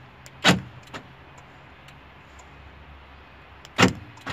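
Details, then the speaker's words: Right door central locking motor replaced with a new one after the repaired aftermarket unit became noisy, tested on temporary wiring: two crisp clunks about three seconds apart with faint follow-up ticks, no grinding; noise gone, normal. "Nice. We got rid of that disgusting noise. Great.."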